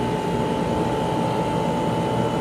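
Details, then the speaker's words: Garage A/C unit's first startup after winter, running a while with about a 20-degree outside/inside split. Steady fan rush and constant mid-pitched compressor hum, no rattles, cycling or squeal. It is running normally. "here's what it sounds like after it's been on for a while"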